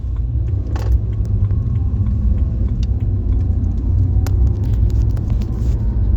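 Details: BMW E90 with the microphone in the footwell near the noise: a deep, steady drone fills the cabin at highway speed, with faint clicks; owner unsure if it's a wheel bearing, transmission or other.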